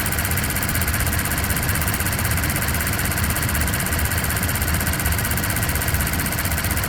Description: 1. High pitched ticking sound starts @ 0:09 and stops at 0:26 seconds, same sound restarts @ 1:54 sec and ends at 2:15 secs.